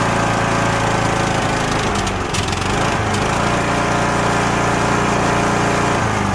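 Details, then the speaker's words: Cub Cadet LTX1045 riding mower, Kohler Courage 20 HP, repaired about six weeks earlier, dies unless fully choked: runs rough, stumbles and pops before recovering; fuel looks orange and smells bad, likely bad fuel. "seems like we've got a little bit of popping and cracking going on a lot of people no when that happens we'll think it's a valid issue or something like that it's most likely just a bad fuel issue here"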